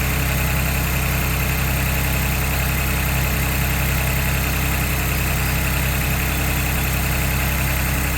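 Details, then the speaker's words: 2022 Ford Bronco Badlands 2.7L EcoBoost, cold start in a garage with the hood open: a steady high fast idle with busy light ticking from the injectors and high-pressure fuel pump and a faint transmission whir underneath. Normal cold-start noise. "so you can hear a little bit of whirling coming from the transmission and you can also hear that loud ticking we were talking about and some of that's the injectors and some of that is actually the uh high pressure fuel pump"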